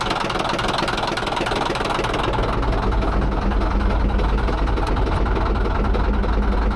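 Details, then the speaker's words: D9H: a deep, heavy idle with a hard, regular knock about three to four times a second riding over it. A loud internal engine knock. "That sounds terrible, doesn't it? Holy moly."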